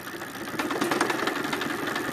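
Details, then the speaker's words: Tata Stryder Zeeta e-bike, two months old: under throttle the hub motor makes a fast steady tak-tak ticking, roughly ten per second, stopping when throttle is released; worsening over two days, owner suspects broken internal gears. "टक टक टक टक की बहुत ज़बरदस्त आवाज़ आ रही है और ये पिछले एक दो दिन से हो रहा है इसमें।"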